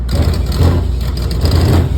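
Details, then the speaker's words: Electro Freeze soft-serve machine on a new food truck, 3-phase, barrels wired independently, phasing confirmed correct: heavy low clunking thumps over motor hum as one barrel spins up in clean mode, settling at speed; source inside the unit, contactor chattering suspected. "When I put it on clean, that clunk clunk until it hits its rotations."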